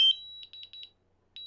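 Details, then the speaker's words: DJI Mavic Air controller: brief chime then rapid high-pitched continuous beeps after holding the return-to-home button; stops by pressing home or pause again. "you'll notice that if i push this it it i need to hold it down for the continuous beeps to kind of continue"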